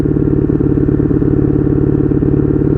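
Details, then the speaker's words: 1982 Honda Magna V45 VF750C, idling in neutral on its first ride: lumpy, uneven pulsing idle with throaty clatter; owner says it definitely needs carb synchronization. "Yeah, definitely need a carb synchronization here."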